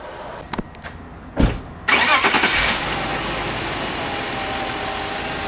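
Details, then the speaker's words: BMW E39 after fixing a misfire by replacing cylinder-five parts and the cam sensor, code cleared, no check engine light: clicks, quick crank and catch, short flare, then smooth even idle with no stumble; normal start and idle. "Code has been cleared off the dashboard. No check engine light. Looks like it feels like it's running better already."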